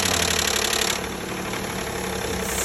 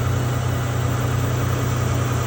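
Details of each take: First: 2012 Nissan Maxima 3.5 L engine at idle: rapid light knocking about four per second from the intake area, caused by a damaged intake bracket with a missing piece rattling. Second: 2012 Nissan Maxima 3.5 L idling after replacing the noisy intake bracket: smooth, even low idle with a steady hum and no ticking or knocking. The engine now sounds healthy and strong.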